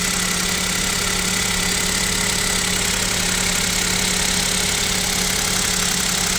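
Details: KIA Picanto 2, 1.0 G3LA engine, cold idle at about -7 °C; light, fairly regular tapping about three per second over the engine hum. Owner suspects piston knock and wonders whether an overhaul is near; source unconfirmed.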